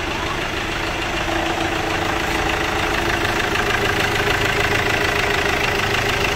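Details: Chevrolet Captiva diesel after replacing stuck water pump, broken timing belt, timing roller and tensioner: steady, even diesel clatter at idle with no misses or knocks, settling into a smooth, healthy tickover.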